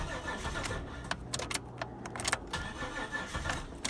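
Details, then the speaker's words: 1998 Holden Commodore Berlina VT, stored 5 years, no fuel reaching the engine (fuel pump fuse popping), new fuel pump fitted, ether sprayed into intake: sluggish cranking with clicks and brief stumbles but no catch; crank no-start. "nothing yet so quickly elicited some outside help"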